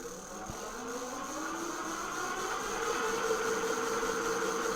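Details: Engwe L20 3.0 full-suspension e-bike, lifted wheel under throttle: soft whine rises steadily in pitch as the wheel spins up then holds even, no grinding; hub motor runs normally.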